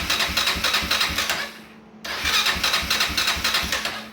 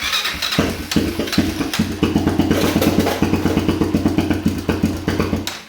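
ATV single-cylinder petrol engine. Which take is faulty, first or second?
second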